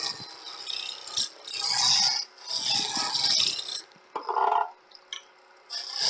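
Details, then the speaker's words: Woodturning on a lathe: the gouge cuts in uneven scraping bursts with gaps, catching only the high spots, so the workpiece is still out of round with a small flat left. "you can hear that it's either getting as round or get in there still got a flat on it okay so we've got rid of almost all the flats got a little one there"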